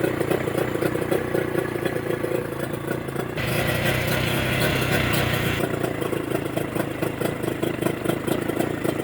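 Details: Mercury 25HP two-stroke outboard in neutral after the Boyesen power reeds are fitted, with the idle being set: even, steady burble, a short lift in revs midway, then smoothly back down. Normal idle, running clean.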